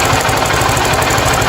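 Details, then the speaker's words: 50cc motorcycle at idle: fast, harsh rattling knock running steadily through the idle; suspected loose rocker or cam chain at first. "Opa tem uma cascavel aqui dentro hein ó a rapaz calma aí ó o barulho aqui ó deixa na lenta"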